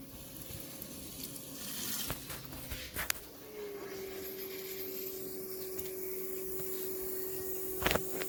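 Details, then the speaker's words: Mahindra Roxor after a fuel filter change, priming the system to check for leaks: a click, then a faint, steady hum at an even pitch for several seconds that then stops. Normal electric fuel pump priming. "Now we're going to see if there's any fuel leak. Prime the system."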